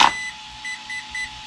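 A power-on click, then a string of short high beeps about a quarter second apart: the speed controller has entered setup mode.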